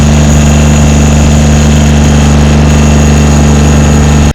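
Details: John Deere 332 garden tractor just after a hydraulic/transaxle, engine oil, air and fuel filter service, electric fuel pump primed and bled: steady, even low drone with a constant beat and no knocks or misses, then a clean shutdown. Normal running.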